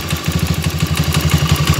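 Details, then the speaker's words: Motoboss 125 single-cylinder, two days after an overhaul, with a noisy head even after valve adjustment. A loud dry clatter of about ten ticks a second runs over the idle, and no oil reaches the head. Suspected cause is oil starvation of the valve train. "Yan, walang umakit. Yan po yung issue niya, mga kamotor. Okay, wala. Sa tagal ng andar na yun, kailangan umakit na yung langis dito. Okay, papunta dito. Kaya ganyan siyang maingay, mga Kamotorworks."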